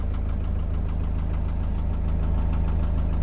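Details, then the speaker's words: 2006 Iveco Daily 35C14, 3.0 HPI F1C diesel (136 hp), which cranked but wouldn't start when hot, after crankshaft sensor replacement: starts first time, steady even idle, no warning lights; normal diesel idle, problem fixed. "As you can hear, the engine is running okay, there's no flashing lights, problem is fixed."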